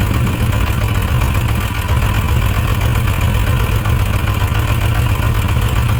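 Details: Suzuki RF900 multi-cylinder motorcycle at idle, carburettor mixture being adjusted on one cylinder: steady low idle with lumpy, uneven beat as one cylinder drops out; still not firing well after adjustment, suspected too rich. Cylinder misfire at idle.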